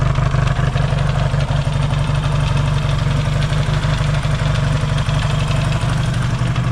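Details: Yamaha XS650 twin, engine just reinstalled after fixing its oil-burning problem, warm-up idle with points not yet properly adjusted: steady even low thump about four beats a second, no misses or stumbles; no longer smoking, healthy idle.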